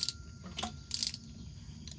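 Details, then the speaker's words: Engine rolled over by hand after new bearings, one side of valve train hooked up: sharp pops and clicks, loose then tightening; noise only appears with valve train connected, owner suspects collapsed lifter. "So, this is the noise the car makes. I think it may be just a decompressed lifter."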